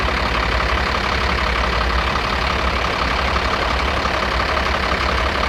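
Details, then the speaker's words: FAW truck 260hp six-cylinder diesel idling after an overhaul, checked with a sound tester cylinder by cylinder: a sharp rapid tick over the clatter, with pistons all sounding the same. The knock is the number one injection pump plunger. "आवाज जो है एक number की बहुत ज्यादा है जैसे कि एक पिस्टन जो है वो सेड मार रहा है टक टक टक टक इस तरह से आवाज आ रही है"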